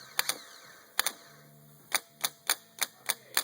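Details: Bench-tested bad Honda Odyssey starter with ignition key held simulated: sharp clicks in loose pairs, then about three per second, no motor spin between them; internal short throwing sparks; solenoid clicking without cranking, internal starter fault.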